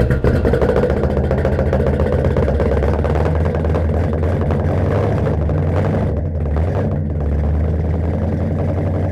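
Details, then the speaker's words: 1969 Mercury Monterey, first run in 16 years, carburettor drawing fuel from the tank: deep, even rumble at steady idle with no misses, knocks or stumbles; engine running smoothly. "this is freaking awesome i'm so happy to hear that this engine runs"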